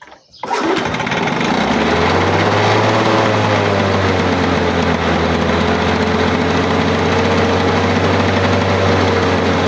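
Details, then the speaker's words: 1985 Lawn Boy 7350 two-stroke mower, sat outside at least three years; after pushing the primer it fires on one pull and holds a steady, even buzz with no surging or dropouts; owner says it sounds pretty good, normal idle. "she sounds like a long boy girl that's pretty good"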